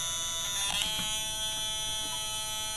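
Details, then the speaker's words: LM386 audio amplifier with power applied and no input signal: constant high-pitched buzzy whine of stacked tones from the speaker; power supply noise, cured by an electrolytic capacitor from VCC to ground. "so this is what it sounds like with no music playing there's no signal and there's this really annoying frequency being"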